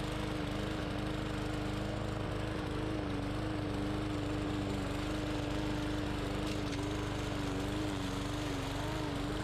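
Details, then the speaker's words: Bolens push mower, Briggs & Stratton 125cc OHV engine, after repairing two issues that had stopped it starting: cutting soaking-wet grass with a steady, even drone and no misses or surging; healthy under load, though some tapping was noted for checking. "we had a downfall last night the grass is soaking wet and this machine went right through it"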